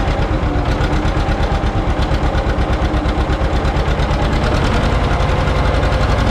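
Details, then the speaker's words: John Deere 530 old two-cylinder tractor idling in winter, not run since hay-wagon use after a no-start with a shot battery; slow, even putt-putt about three pops a second, no knock or miss: healthy normal idle. "Oh, you can't beat it, old 2-cylinder John Deere. Love that sound."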